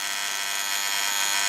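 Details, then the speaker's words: Osaki TY 11 time switch motor, cover back on: steady harsh high-pitched buzz, motor very noisy though working quite well. "that's a bloody noisy motor cover back on it's working quite well now"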